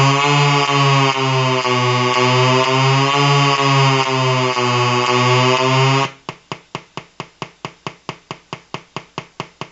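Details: Colour-changing LED bulb on 4.5–6 V DC batteries: loud pulsing buzz with wavering pitch, then a sharp tick about twice a second; interference from the colour-cycling bulb's driver.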